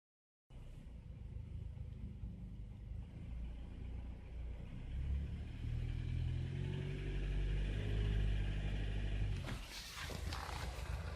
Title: Стук в моторе, Ниссан Nissan